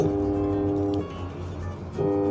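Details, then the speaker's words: Samsung WA13P 11 kg washing machine, programs run normally: steady electrical hum with tonal buzz cutting out and returning, drum never spins; motor energised but not turning, suspected slack belt or start capacitor, later found faulty motor. "โปรแกรมโปรแกรมสั่งทำงานปกติแต่ว่าได้ยินเสียงนะครับเหมือนมอเตอร์ทำงานครับแต่มันไม่หมุนนั่นเองนี่นะครับ"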